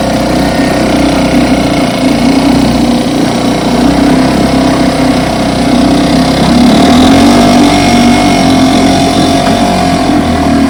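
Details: Fully rebuilt 1960s West Bend 2 hp outboard, model 2901, barrel test run after restoration; steady fast idle, even firing, no knocks or rattles, running normally.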